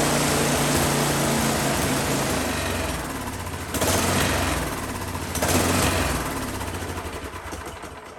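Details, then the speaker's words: Husqvarna 10530 SBE snow thrower engine, sat about 4 years, carb still had fuel, run with choke on: speed dips and swells every couple of seconds, hunting/surging; owner guesses clogged carburetor idle circuit, ran better at full RPM. "Kind of hunting or surging, I think probably the idle circuit in that carburetor is what I'm going to guess is maybe needs to be cleaned out."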